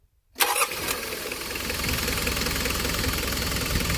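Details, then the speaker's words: Mitsubishi Delica Star Wagon diesel, 232,000 km (about 145,000 miles), running cool with new aluminum radiator: quick crank, catches at once, steady even clatter at 500 rpm idle with little vibration; engine mounts possibly replaced. "So that's sitting right at 500 RPM. And just judging by how little vibration there is, engine mounts might have been replaced at some point, bushings, whatnot. Therefore, she's holding nice and steady."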